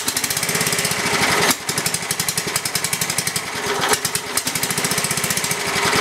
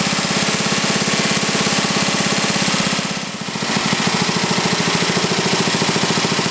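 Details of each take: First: Briggs & Stratton 11 hp flathead (model 25), unrun for a year, cold after 30s°F night, on choke with carburetor adjusted richer: fast even single-cylinder popping with two stumbles where it nearly dies; rough cold running. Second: Briggs & Stratton 11 hp flathead single (model 25), first run after a year idle, cold start at about 60°F after a night in the 30s: even steady thumping with one brief dip mid-clip; runs well, burns a little.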